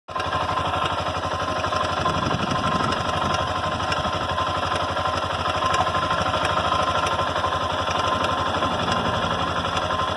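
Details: Honda NX Falcon 400i single-cylinder engine at idle with a steady rapid internal hammering knock, about four a second, over the idle; cause not yet determined.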